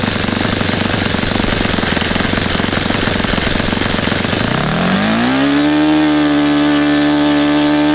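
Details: Saito FA-100 glow four-stroke after rebuild (new bearings, gasket set, tappets; exhaust tappet was mushroomed), APC 14x6 prop, Omega 10% fuel, OS F plug: rough low rattle climbs over a second into a clean, steady high buzz at full throttle; healthy.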